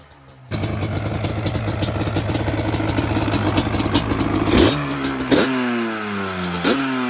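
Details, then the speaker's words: 2002 Yamaha Banshee two-stroke ATV during a tune-up, running on choke: uneven, crackly idle between sharp throttle blips, sounds like an RC car; it doesn't like being choked, rough running. "She don't like to be choked. It sounds like an RC car."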